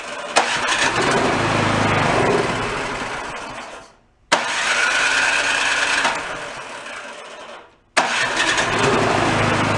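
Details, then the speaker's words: Yard-sale two-stage snowblower, started on choke with a squirt of fuel, fires three times, runs ragged and dies each time; debris speck in carburetor jet starving it. Stalling from dirty carburetor jet. "yep we said that carburetors nice and clean it has issues there it is no if it shows up a little white speck right in the middle"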